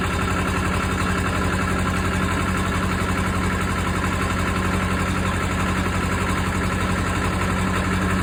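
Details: Case 450B dozer, 207 diesel, just after reinstalling rebuilt injection pump (removed because fuel was mixing with oil): even regular thumps, steady idle with no misfire, idling a little high and needing adjustment.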